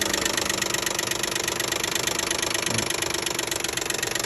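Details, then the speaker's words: 2012 Nissan Maxima 3.5 L at idle: fast, uneven light knocking, about three and a half taps per second, heard around the top of the engine rather than the bottom; owner assumes a loose intake bracket, found and removed. "and again I'm assuming it's just a intake R make noise so I right now I'm TR one down up there it doesn't sound like there just going everywhere in the bottom not it doesn't sound like from Come From The Bottom either just basically just right somewhere around here like intake intake the spret"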